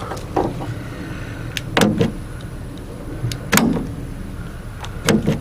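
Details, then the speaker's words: 2016 GMC Sierra tailgate power lock actuator, panel off; the tailgate won't stay locked. Short motor whirs and soft clicks every couple of seconds, but it never pulls the latch down; weak actuator, replacement due. "I goes to the unlock it seems like it's kind of weak it isn't moving okay see that like there's a lock and I'm thinking then it needs to go ahead and be able to pull that down and it just can't do it"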